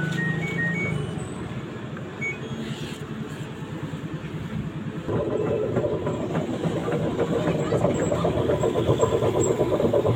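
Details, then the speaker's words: LG 15 kg front-loader washing machine with a loose, wobbly drum: rough pulsing rumble, about four surges a second; most likely a worn drum bearing, recorded before bearing replacement. "Nah, ini kalau drum oplak begini nih kemungkinan besar bearing Amrol."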